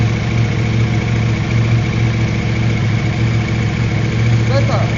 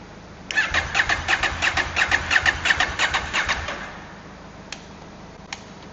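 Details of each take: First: KTM 790 Adventure twin with hard-start, one-cylinder-not-firing problem, after new spark plugs: steady even idle with low firing pulse, no misses or stumbles; idling better, though whether fixed is unknown. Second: KTM 790 Adventure twin with hard-start problem, one cylinder sometimes not firing, tank off: about three seconds of even starter pulses, three a second, then stops without catching; hard starting, cause unclear, not fixed.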